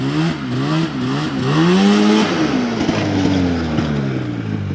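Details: 1981 Ski-Doo Blizzard 5500 two-stroke snowmobile, carbs already cleaned, run confirming the airbox as the problem: revs up cleanly in rising sweeps, pitch climbing freely with throttle, pulling strongly without stumbling; normal full-throttle run.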